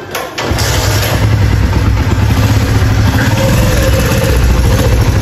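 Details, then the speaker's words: Motorcycle after 5000 engine repair at shop, spark plug not yet replaced: quick crank, single cylinder fires and settles into strong, steady low idle thump, no tapping or grinding; normal idle. "बाकी अब bike set हो गया fit आपको check कराते हैं sound"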